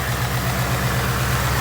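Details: 2019 Mustang GT, warm after about 50 miles of driving: a fast, regular light ticking or knocking from the top of the engine over a steady idle; the owner suspects possible engine tick, cause unconfirmed.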